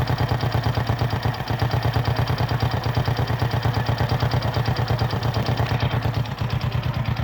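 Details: Kymco AXR 110 single-cylinder after replacing spark plug that caused no-start, one kick: steady, even idle with regular exhaust pulses and no misses; normal idle.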